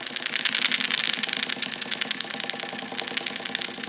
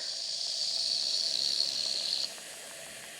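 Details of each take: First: Wilesco D455 tabletop double-acting stationary steam engine at operating temperature: quick, even chuffing at about three and a half beats a second with hissy exhaust. Normal running. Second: Wilesco D455 stationary steam engine, warm boiler: whistle opened early gives thin airy hiss about two seconds instead of shrill note; weak whistle from not enough boiler pressure yet.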